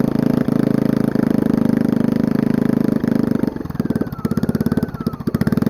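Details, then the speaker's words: Small single-cylinder generator engine, long stored, run on a bare rusted header pipe without muffler, air filter on: steady thump breaks into stumbling, irregular beats; rough idle, choke suspected but cause unclear. "it so even with this air filter on it still has trouble idling i think it has to do with the fact that this choke i don't know so something weird going on"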